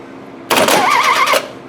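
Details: 1974 VW Beetle with an intermittent no-start, starter triggered by 12 V on the white wire: a short, quick, even burst of cranking under a second that spins freely and stops cleanly, normal starter.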